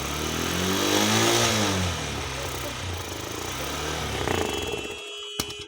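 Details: Honda Shine 125 BS6 with a cold hard start, started by the manual-choke method and being warmed up. Clean throttle blips climb and fall smoothly, then the revs settle and it shuts off: normal revving during warm-up.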